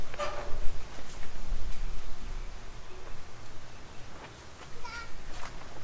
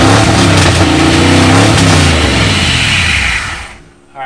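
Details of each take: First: V8 Mercury Comet sat 31 years, run on carb cleaner with fuel line not connected: uneven cranking with a few ragged catches that fade out; no oil pressure showing on gauge yet. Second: V8 Mercury Comet after sitting 31 years, new solenoid, radiator filled, good oil pressure verified: engine catches and runs on, revving up with a steady, even beat before throttle drops; normal running.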